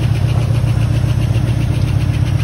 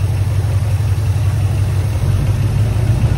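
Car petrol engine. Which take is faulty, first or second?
first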